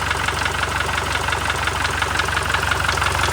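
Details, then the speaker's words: Toyota Fortuner diesel in the workshop, engine previously worked on, given only a light rev because the air filter and other parts are still open; even clatter with steady rhythm, no uneven knock or miss, healthy. "गाड़ी का भी air filter वगैरह सब चीजें खुली हुई है ना, तो इसलिए अभी हम ज्यादा रेस रूस नहीं दे रहे।"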